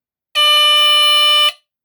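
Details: 1978 Westclox portable smoke alarm (Edwards-type horn) hit with test spray sounds a loud, piercing steady shriek for about a second, then stops cleanly; a little fussy but works.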